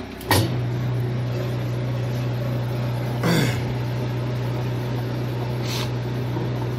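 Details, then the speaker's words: Washer after a clutch was suspected: strong, steady low hum as the drum spins powerfully without slipping or grinding, no leaks; spin and clutch healthy. "now can't stop that she sounds good too there's no no leaks"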